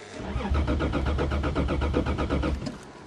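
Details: Toyota in a cold snowy December start, owner suspecting a bad fuel pump; rhythmic starter cranking, about six compression pulses a second for two seconds, no firing or catch, then silence; cranks but no start, cause unconfirmed.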